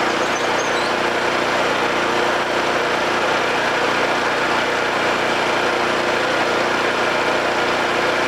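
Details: Homelite 5000 watt generator, bought used with a corroded carburetor; after re-exciting the field with a battery charger, it gives a steady, unchanging buzz at constant speed, no surging or misfire, producing power.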